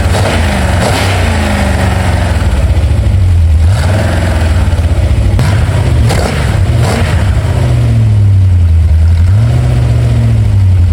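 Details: Ford 289 small-block V8 with C4 transmission, freshly rebuilt and installed in a 1973 Mercury Comet, with H-pipe and mufflers: catches and settles into a steady, even idle with a couple of light blips, no knocks or misses; normal start and idle.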